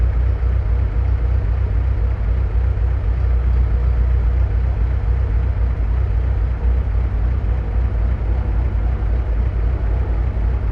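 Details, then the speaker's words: 1965 Kaiser Jeep CJ5 with F134 engine consuming excessive oil, needing piston rings, first start after sitting, fresh coolant and oil: steady low idle rumble with faint regular light ticking; loose valve lash needing adjustment. "I am going to have to adjust the valve lash on it cuz it's a little noisy, but it's running."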